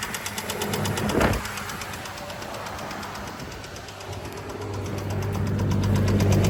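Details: 2006 Chevy Trailblazer: a steady rapid knock of about four a second over the running engine that rises as revs climb; the source is not yet found.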